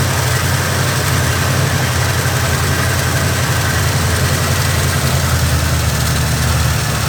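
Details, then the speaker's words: Carbureted Oldsmobile Cutlass, Rocket 350 V8 with Quadrajet: lumpy low idle with faint steady hiss; a vacuum leak remains. "you got a lot of leaks here that was uh that was blocking that off completely but we're still we still got a vacuum"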